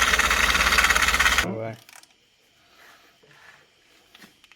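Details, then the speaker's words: Ford F-150 rebuild, engine idling: steady slapping beat about three times a second before shutoff; accessory belt is shredded and may be slapping, with a possibly worn harmonic balancer suspected. "hopefully it's not the harmonic balancer but it could be it's not a big deal though but and and this belt is actually shredded too so that might be oh that could be slapping"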